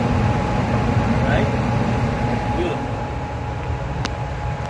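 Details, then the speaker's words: Central AC indoor unit after replacing the bad blower capacitor and restoring power at the breaker: smooth even motor hum with a faint steady tone, no rattles or labouring; the blower starts and runs normally. "there we go beautiful beautiful see turn on working just fine"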